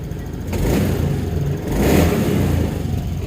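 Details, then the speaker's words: 2017 Honda Scoopy scooter after the worn roller housing was found, the ECU reset in mode 1 and idle set by ear: two quick throttle blips that rise cleanly and drop back without hesitation; acceleration now feels immediate. "beda sama yang tadi. Ini digas langsung tarikan terasa, langsung kontan."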